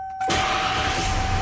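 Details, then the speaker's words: 1994 Ford F-150 XLT 302 V8, 57,500 original miles, warm after driving, with a light exhaust leak: engine catches at once on restart and settles straight into a steady, even idle with no stumble. "truck fires right back up it does hold a really good idle"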